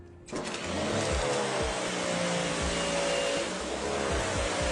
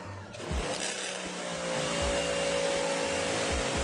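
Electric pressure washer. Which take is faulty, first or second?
second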